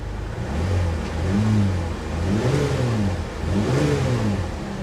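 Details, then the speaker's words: Misfire on a cheap C4 Corvette at an auction yard: the engine stumbles unevenly under throttle blips and is also smoking; it later smooths out once the fuel is worked through. "Oh, misfire. Misfire bad. Yeah, she's misfiring pretty bad, guys."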